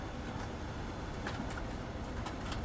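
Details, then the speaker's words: Brother DCP-7065DN laser copier after repairing the paper tray switch sensor/spring that caused a no-paper error, copying: soft steady whir with light clicks as rollers pull the sheet evenly; normal feed and printing, first page printed black. "The thing's engaged. The wheels are spinning. Got it stuck on top of the thingy. Okay. Copying."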